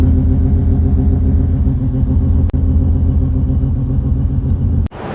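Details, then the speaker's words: FD after it grenaded on the drive home, oil everywhere: deep, lumpy rumble with an uneven, stumbling beat until shut off; failed turbocharger makes it run rough, needs towing and repair. "And if I turn it on, you can see how bad it is. Sounds like a complete shit, so I just need to park it and then get it towed and then fix it later with Mike."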